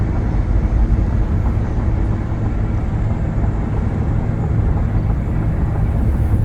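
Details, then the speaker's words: 2005 Ford Taurus engine pulling strong up a hill while driving, steady low drone under road noise with no knocks or misses. Normal engine running. "it's driving pretty well the motor sounds good it's good and strong not having any trouble going up this hill"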